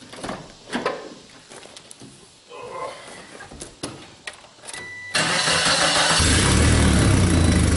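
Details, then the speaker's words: 1996 Geo Tracker with low power, O2 sensor removed: clicks then engine fires at five seconds and settles into a loud raspy idle, checking whether idle improves; restricted catalytic converter suspected. "so just for shits and giggles let's fire it up and just see if the idol is any better"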